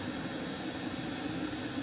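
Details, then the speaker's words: Chinese air heater on a workshop bench, shutdown after full-power run: fuel cut, glow plug comes back on to burn off residue while the fan whirs and slows down with low hum, no roughness; normal shutdown. "you can hear the fan slowing down but the globe plug comes back on to burn off any residuals are in there when the flame T was out"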